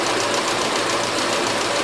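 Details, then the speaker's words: 1977 Gravely GMT 900, warmed up, main and idle carb screws adjusted, choke off, old and fresh gas mixed: steady, fast, even buzz with no hunting or surging; running decently. "the choke is the Hawaii off now and it seems like it's running halfway decent"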